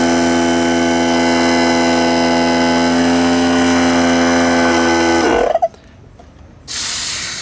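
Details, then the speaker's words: Central Pneumatic 95275 oil-less 3-gallon 100 PSI pancake compressor before repair: steady even motor hum for about five seconds then cuts out; runs but builds only a little air, not enough to register; owner suspects valves, possibly the gauge. "okay it is building a little bit of air but not enough to really register"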